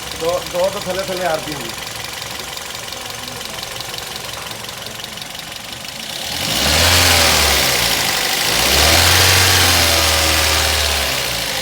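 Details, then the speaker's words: Toyota GLi before tappet adjustment, noise called clearly bad. Quick, regular light ticking of about four per second at idle, rising with revs over the engine hum: loose valve clearances needing adjustment. "यह इसका sound जो है आप सन सकते हैं बिल्कुल खराब है और हम अभी इसके टॉपर बनाएंगे"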